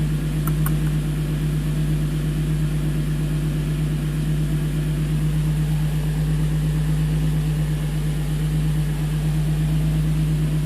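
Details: 2005 Infiniti G35, VQ35DE Rev-Up, 6-speed manual: after coil pack replacement for a P0300 random misfire, a smooth, even idle with a steady low hum and no stumbles or skips. Air-fuel ratio reads about 14.6–14.7, so it runs clean.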